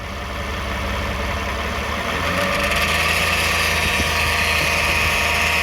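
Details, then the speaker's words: 2009 Toyota Sienna FWD idling in park after a transmission drain and fill; thin high buzz steady over the low hum, still present. Flex plate thought okay; pump, torque converter or bearings suspected, unconfirmed. "Good. The noise is still on. We expect the flex plate is okay, but something wrong."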